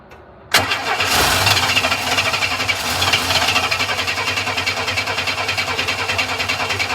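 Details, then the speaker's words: 1962 Chevy II with the fuel feed pulled off the carb to test flow: it cranks at an even, brisk rhythm but never fires. The brand-new Airtex fuel pump is weak; the tank is new and the lines and fuel are clean. "pump's weak it's a brand new pump too it's an Airtex"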